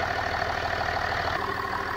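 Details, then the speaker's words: Land Rover Discovery 4 3.0L TDV6 (SDV6) diesel first start after oil pump, crank seal and timing belt replacement, oil drained: steady, even idle with smooth low hum, no knocks or rattles; healthy. "and then it starts and all the worries are gone"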